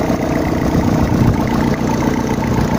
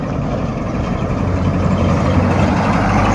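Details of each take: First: Freshly rebuilt gasoline engine on first start, idling gently without revving while oil pressure builds: a steady, even low rumble with no knocks or ticks, running fine; a small exhaust leak is noticed afterwards. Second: Petrol engine just restarted after a full rebuild, idling steadily with a faint, rapid puffing tick from a small exhaust leak. The exhaust part was due to be replaced or machined.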